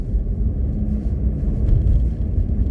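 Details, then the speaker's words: Renault Duster, cold cabin, engine just started and not warmed up, heater on low: steady road rumble with no dashboard creak or crackle after the rubber strip fix on the dash; quiet trim. "господа полная тишина в салоне нету скрипа нет тут потрескивания характерного такого который был ранее до резинки"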